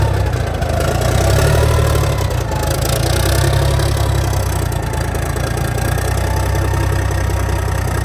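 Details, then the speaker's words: 1987 cabover truck diesel, first start in years: even, steady low idle with no knocks or misses, sounds healthy; oil pressure about 40. "Man, that motor sounds pretty good. That thing sounds amazing."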